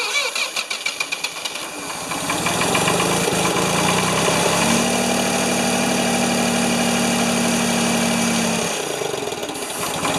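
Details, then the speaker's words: Free Ford 2600 tractor, choked, little gas, possibly old number three spark plug: cranks, catches, runs ragged about six seconds and dies, flooding with too much fuel; puffing from intake, owner suspects number one intake valve stuck again, unconfirmed. "hmm why is it not one to run well i pulled uh a little puffing out of the intake i was worried the intake that number one intake valve stuck again"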